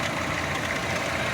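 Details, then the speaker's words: Chevrolet Optra that would not start after 2 years of storage, now running after its badly rusted fuel pump was replaced with a new complete pump. Smooth, even idle hum with no stumbling or hesitation; normal idle. "So yan yung makina niya. So ayan umaandar na yan mga boss. Fuel pump ang pinalitan natin."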